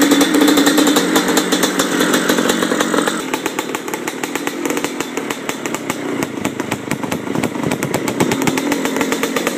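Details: 1997 Yamaha Blaster 200 two-stroke at first start after rebuild: crisp buzzing revs rise and drop back cleanly, picking up throttle without bogging or missing; engine runs healthy.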